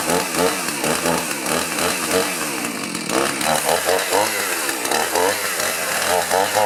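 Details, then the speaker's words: Two-stroke chainsaw started after sitting a long time, old fuel still in tank, chain oil topped up: buzzy rasp rising and falling with throttle blips, picking up cleanly each time; saw runs properly. "What I'm going to do is go ahead and start it up and let it run a little bit, make sure it's running right."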